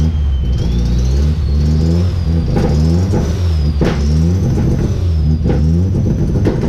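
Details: Turbo car with newly welded exhaust including a 4-inch flex section: engine held at high revs on the 2-step limiter with sharp bangs and pops about every second; the 2-step is working.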